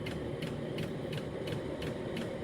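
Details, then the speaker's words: Chinese 8 kW 12 V diesel air heater running on a temporary adjustable bench power supply, with a steady fan rush and an even fuel pump tick about three times a second. It is staying on now after earlier unwanted switching off. "seems to be staying steady i've had problems with it switching off when it shouldn't do"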